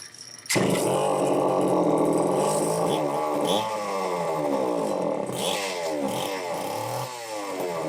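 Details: Homelite XL-903 chainsaw after carburetor work, stiff fuel hose possibly not letting filter sit in fuel: two-stroke screams then surges and sags, pitch hunting, never settling to idle; won't run on low speed circuit, lean fuel starvation.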